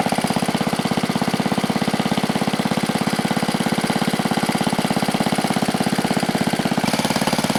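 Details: 1970 Wisconsin BKN flathead single-cylinder engine, about 7 HP, after sanding the points: crisp, regular firing pops at roughly two hundred a minute, holding steady outdoors with no misses; it runs normally.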